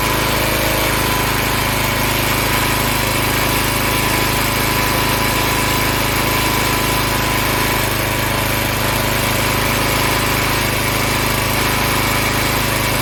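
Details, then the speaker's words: Log splitter Briggs & Stratton engine 126T02 after repair: carburetor cleaned, governed speed set to about 3100 rpm spec, valve underneath two turns out from seated. A steady, even high-speed drone with no hunting or stumbling; running much better. "i cleaned the carburetor adjusted the rpms to about 3 100 rpms and then i adjusted the valve down below to two complete revolutions out from seated and this thing is running a lot better than it was"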